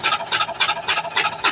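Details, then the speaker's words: LG Inverter washing machine, drum speeding up in spin. A rhythmic raspy scrape comes about 3–4 times a second, following drum rotation. Nothing was found at the motor or gearbox below, and a foreign object is confirmed inside the drum, which needs opening. "ada something wrong kat dalam drum ni. Okey boleh tengok eh drum dah mula laju. Okey confirm ada benda something kat dalam ni."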